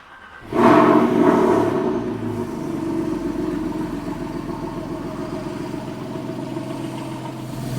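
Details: Porsche 911 started just after replacing the belt tensioner and fitting a new serpentine belt; the engine catches and settles into a steady, even idle with smooth belt whir and no pulley squeal or chirp.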